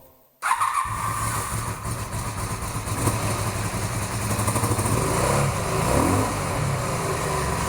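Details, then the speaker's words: 1982-83 Honda V45 Sabre cafe racer after carb fix (float bowls set far too high, starving fuel), fuel screws 2 3/4 turns, choke on: fires up into uneven low cold idle, all 4 cylinders catching, smoothing as revs rise. "All right, we're finally running on all 4 cylinders. The bike sounds quite different."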